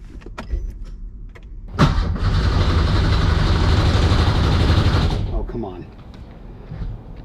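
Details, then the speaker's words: Porsche 911 with swapped Subaru EZ30R engine: steady, even starter whirr about three seconds that never fires; no fuel pump heard, cause unexplained. Crank no start. "why would it not start I don't hear a fuel pump come on man can I just get one thing to work"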